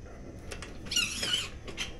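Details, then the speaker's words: Budget suspension seat post for an ebike saddle, new out of the bag, pushed down by hand: sharp high squeaks in bursts with each compression; unusually noisy squeaking suspension seat post. "That is the noisiest one I have ever seen. What is up with this? I chose a noisy one to make a video with."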